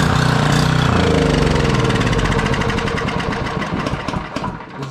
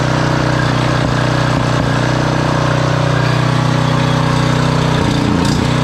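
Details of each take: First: Generac 5000 W generator, Briggs & Stratton 10 hp, sat for years, choke on, little fuel poured in: fires sooner than expected, runs a lumpy steady beat about four seconds, then dies on its own; cause unknown. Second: Generac 5000 W generator, Briggs & Stratton 10 hp single-cylinder, sat for years, wire refitted: steady, even drone holding constant speed without hunting or misfiring; runs healthy.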